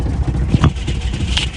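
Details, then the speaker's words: 1967 Lincoln V8 at idle after exhaust leak repairs: short, deep, even burble with no puffing or ticking at the pipes. The exhaust sounds sealed, no leaks heard. "sounds much quieter so I got these two plants here I don't hear any any leaking at all now"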